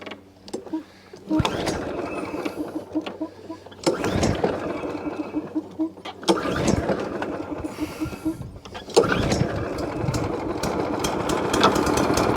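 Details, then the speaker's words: Free scrap overhead-valve mower engine, test run after main jet work: small single-cylinder engine catching in uneven surging, stumbling bursts. Running really bad, as if on choke. Owner plans to pull the spark plug and might fit a new one. "well that's running really bad hmm that don't sound very clever do it that don't sound very clever at all"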